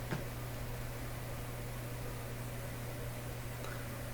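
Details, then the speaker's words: Admiral J104X/J105X console amplifier, supply at about 91 V rather than full voltage: steady low mains hum under a quiet hiss with no program material; weak power-supply filter capacitors suspected, paralleling capacitors unsatisfactory so far, source not confirmed. "so for sure if I put this up full voltage that home is going to become really quite distinct it's bad enough right now"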